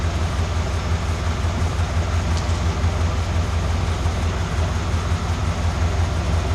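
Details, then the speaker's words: 1991 Cadillac Brougham at idle, old exhaust with the muffler installed backwards and upside down and the original resonator missing; it drones at about 59 mph. Deep idle rumble at about 68–70 dB with a distinct beat about twice per second. "you can clearly hear as well as see on the meas on the meter a distinctive beat sound about uh twice per second"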